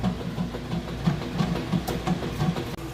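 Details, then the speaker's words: Whirlpool top-load washer draining before the rinse and high spin: strong steady pump drone with rushing water and a soft churn about three times a second; drain pump works powerfully, normal. "I wanted you to hear that drain that pumps work a nice powerful get all the water out of there"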